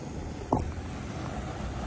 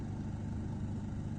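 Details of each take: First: Car AC cabin blower after cleaning and maintenance of the blower fan: steady, even rush of air with no rattle, squeak or ticking; the earlier annoying noise is gone and it sounds normal. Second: debería sonar así. Oye, cómo está sonando. Y si le doy más, oiga, no debería sonar así.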